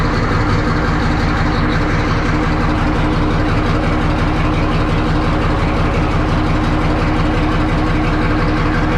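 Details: 1963 Diamond T 931-CN cabover semi diesel, unstarted for one to two years: deep heavy chug about three beats a second, steady unbroken idle; old engine running fine after storage.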